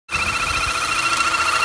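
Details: 2009 Audi A4 2.0 Quattro running, after sitting a few days, with a rough idle and loss of power: a loud, steady high whistle with a second tone above it. Cause was a failed PCV valve diaphragm; replacing the diaphragm fixed it.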